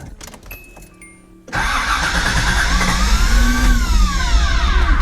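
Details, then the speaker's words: 1986 Nissan 300ZX, hurricane-flooded, first start with a replacement for the stolen computer, in neutral: starter whirs, engine catches and settles into a loud steady run with some revving; water was found in the exhaust. "oh wow okay so she did have water in her somewhere the whole exhaust yeah we'll uh we'll open that up listen how good it ru"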